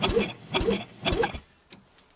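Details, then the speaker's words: Rebuilt Penguin engine on a test mount, ignition on, reverse switch flipped: solenoid clicks, then three short even cranking bursts as the starter turns the engine over cleanly in reverse after it was checked turning forward; normal reverse cranking. "we do see reverse now that i see the engine is cranking forward in reverse"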